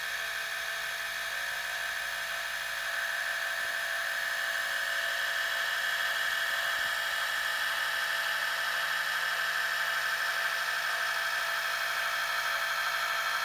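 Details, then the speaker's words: Gakken Premium Gramophone kit, spring motor fully wound, bare mechanism with other parts removed, after greasing with Thomas Edison phonograph grease recipe: smooth, even whir with steady high buzz, no knocking or grinding; gear train now quieter than unlubricated. "So not only does the Thomas Edison lubricant that we used here, not only does it lubricate, but it also quietens all of these different parts in here and makes them run nice and smooth."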